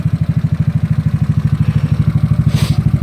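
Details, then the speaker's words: GY6 scooter, second start, hot with moisture dripping from exhaust: even steady single-cylinder putter, no misses or knocks; normal idle. "guy's just dripping out of the exhaust to the moisture all that lightness in there I think not bad sounds good a second start already"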